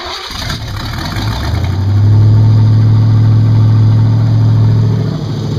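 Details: Evelyn's engine on its first idle with open Lakes headers, timing just set, driver's side not yet fully welded: it cranks briefly, catches, and settles into a loud, steady, lumpy idle with even firing and no tapping. It runs healthy.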